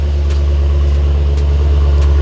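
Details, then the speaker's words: Hemi V8 just after an engine swap, with the lash adjusters still pumping up: a deep, steady, even exhaust rumble at idle with no misses or knocks. A normal, healthy idle; the ticking is expected to go away. "Still trying to get these lash adjusters to pump up. We're almost there. Let's take a listen at this exhaust, guys."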